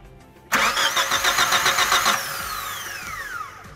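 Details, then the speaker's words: 2001 Chevrolet Grand Vitara crank no start, towed in, battery dead so jumped; no spark and test light shows no injector pulses: starter churns at a steady four-beat rhythm, never catches; ECU not sending signals. "como se puede observar tampoco existen pulsos de inyección así que quiere decir que los inyectores no están abriendo por ende no va a pasar combustible"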